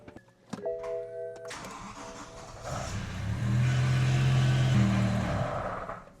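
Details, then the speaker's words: BMW M5 V10 after a rod bearing service, moved off the hoist: the starter catches and the engine hums a few seconds, then sags and dies, as if out of fuel; stalling from fuel starvation, fuel pump fuse reinstalled in the wrong spot. "That's weird. Almost sounds like it's running out of gas, but there's definitely fuel in it."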